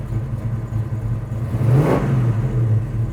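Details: 1970 Chevrolet Chevelle Malibu SS clone restomod, big-block V8 at idle: deep steady rumble with one quick throttle blip rising and falling back cleanly; revs freely and healthily.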